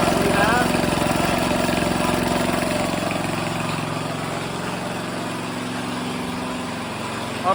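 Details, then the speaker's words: Grandfather's 1978 3hp Briggs and Stratton compressor after pulley repair and tune-up, starting to build tank pressure: small engine pulls steadily with even firing beat settling slightly as the pump loads; normal running under load. "i'll step over here and i'll show you that it's making pressure"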